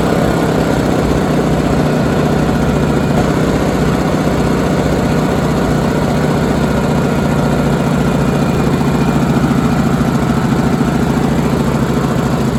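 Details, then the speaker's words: Honda EU2000i generator that had sat in storage with old gas, after quick carb cleaning, runs with a steady even small-engine drone, no surging or missing; running smoothly, though a carb rebuild is still needed. "foreign I'm happy I'm very very happy well that's awesome I didn't expect the little bit of crap I did to fix it but it's fixed for now"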